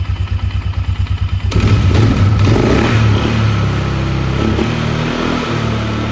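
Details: 2002 Polaris Sportsman 500 H.O. ATV after replacing worn primary clutch (belt walking) with Mother Clutcher primary and new belt: starts and idles steady and even, no belt slap or clutch rattle; clutch quieter than original.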